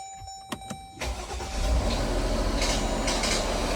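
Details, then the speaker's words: 2020 Jeep Grand Cherokee WK2 on first startup after a RIPP supercharger install with 6 quarts of oil and coolant filled: engine cranks and catches, then a harsh scraping rasp rides over the idle; the supercharger drain line was hitting something. "Okay guys, so double check everything on startup, but that's why we do these things. So, my drain for the supercharger was hitting something."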